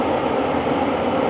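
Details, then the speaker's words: Gas furnace ECM inducer motor, replaced about three years ago, running about 4,000 rpm on a cold 30-degree day drawing burner air and exhausting flue gases: loud steady rushing whir with rough rattly edge; noisy inducer, cause unconfirmed. "inducer motor right here is called an ecm motor what this does is basically draw in fresh air for our burners up here and it also exhausts our flue gases help that pipe right there to the outside"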